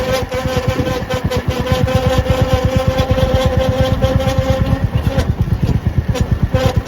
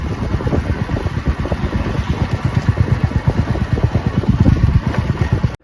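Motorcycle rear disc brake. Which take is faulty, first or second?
first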